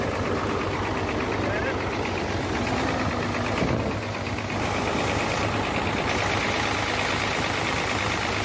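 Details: Hino J08C truck diesel at idle after overheating from a leaking water pump: rough, heavy clatter with uneven knocking; noise from cylinders 1 and 2, back compression and oil out the dipstick tube; piston damage suspected.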